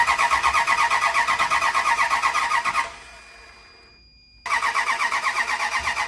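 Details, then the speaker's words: Marketplace truck with earlier misfires, fitted with new plug wires, cap and rotor: long steady cranking at about three starter beats a second with no catch, then a pause and more cranking; hard starting because the plug wires are in the wrong firing order, fixed by re-routing them. "But we done flipped these plug wires around 15 different times. We finally got it to fire up."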